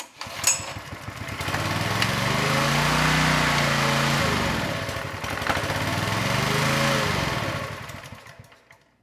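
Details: Honda EG1400x generator, bought non-running, found with ignition, choke and fuel on: small engine revs up, sags, picks up and fades again; hunting from fuel starvation, a carb issue, with water in the bowl possibly contributing.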